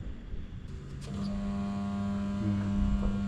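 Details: Split AC outdoor unit before repair: steady low electrical hum while the compressor fails to spin up. It draws high amperage at start and drops the voltage, and is mounted on one nut. Compressor suspected faulty and replaced with a new one.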